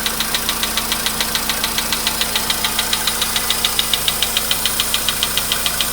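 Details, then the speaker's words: VW Polo Sedan, 99,329 km, cold start with 15°C shown; sharp steady ticking about 140 per minute over smooth idle, anvil-like and worsening over time; fades and disappears after about 5–6 minutes; engine knock, cause unknown. "Такие вот звуки страшные. Это прям вообще. Чуть-чуть, я не знаю, как наковальня."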